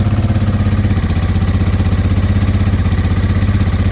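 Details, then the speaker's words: Honda Deauville NT650V5 twin just restarted after carb teardown and new carburetor insulator rubbers: fast, steady, even idle about four pulses a second, held high on a lot of choke; timing still needs adjusting. "Still got quite a lot of choke, idling very fast."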